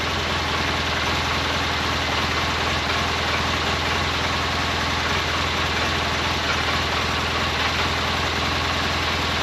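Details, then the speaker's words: 2012 Polaris Ranger 800 six-seater, revived with new parts, just after first start. Steady twin idle with a light, loose rattle on top; owner suspects a little play in the clutches, not confirmed. Rattle at idle. "Almost sounds like that rattle is clutches. Like there's a little little play in the clutches or something."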